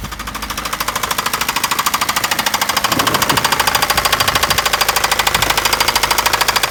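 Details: Daewoo Nexia engine with a loud, sharp, metallic knock, very even at about two to three per second; a clear internal knock, cause unknown.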